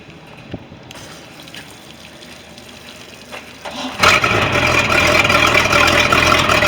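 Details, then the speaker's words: Sea Ray boat, MerCruiser 5.0 V8, after fixing no-start (distributor sensor), new impeller and seals: quiet, then catches and settles into steady, even smooth idle; runs normally, though inner shift cable kills engine in reverse. "Starts and runs and sounds pretty good."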